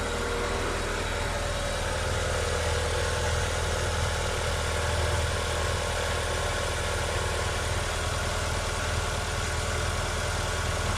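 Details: Haval Hover (Great Whale) engine after repair of a timing belt that had jumped 4 teeth (valves not bent), previously knocking like a diesel with surging idle; now steady low even hum while warming up, no knocking or ticking. Normal idle.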